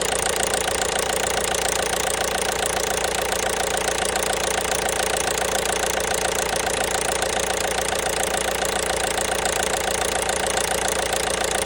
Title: Стук двигателя 1.5 BlueHDI (DV5RC)